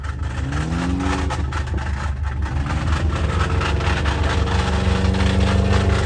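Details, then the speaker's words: Abandoned Subaru 2.5RS, first test drive after clutch fork, clutch and pilot bearing work, jump-started: revs rise and fall under rough, uneven scraping rub following shaft speed, wouldn't go into 2nd or 3rd; driveshaft rubbing on rear differential. "Dude, I don't know, but something really wrong is going on here. So I think I'm gonna turn it off, and I wasn't able to go into 2nd or 3rd gear, and it sounds horrible."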